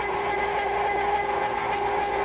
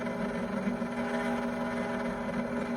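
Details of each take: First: Cuisinart frozen yogurt, sorbet and ice cream maker near the end of a first batch of vanilla with pecans: steady, even hum at constant pitch with no knocks, rattles or surging; normal running, owner says it isn't very noisy. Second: Cuisinart ice cream maker churning a very thick chocolate mix: constant high droning hum at steady pitch, loud for a small kitchen machine; loud motor noise, owner is considering returning it.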